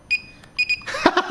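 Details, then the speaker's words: Cheap no-name 500 W Coolmax PC power supply on a PSU tester: short high-pitched beeps, one then a quick pair, followed by clicking. The tester reports fail and the power supply is dead. "i do have a power supply tester even though it's really just a measure of does it work or not just says fail"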